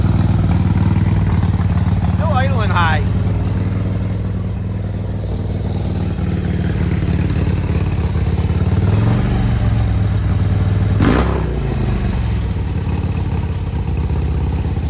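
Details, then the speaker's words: 2002 Harley-Davidson Road King Screaming Eagle (FLHRSEI) carbureted V-twin after new plugs, wires and carb-side work: uneven idle stumbling and skipping beats with a sharp backfire pop; misfire and backfire traced to an intake air leak, checked by spraying carb cleaner near the intake. "backfiring making it hard. All right, so it looks like I still have some problems with this. You hear it? Hear it misfiring?"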